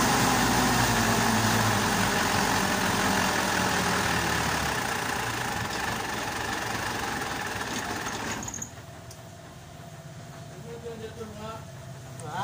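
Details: Mitsubishi Pajero diesel that starts then dies after about a minute: idle clatters at roughly 220 beats a minute, then sags and goes uneven near eight seconds; injector and injection pump suspected, needing calibration, not confirmed.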